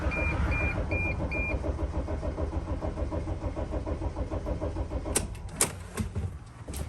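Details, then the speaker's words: 2006 Dodge Sprinter diesel, crankshaft position sensor fault blamed, third start attempt after about 30 minutes: steady cranking about two turns a second, never catches. Bad glow plugs are not helping; a mass airflow sensor issue is also suspected. Crank no start. "I mean, their glow plugs are bad, which is not helping the situation."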